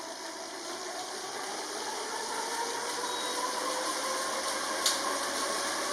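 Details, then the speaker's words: Elite Drivo bike trainer during a sprint, recorded on the camera microphone: a thin, even hum with steady high tones swelling as the pace builds, a very faint rumble from the trainer. Not silent, but normal. "And you can see there's a bit of that tone. It's like a very faint rumble, if you will, from the trainer. So it's not silent."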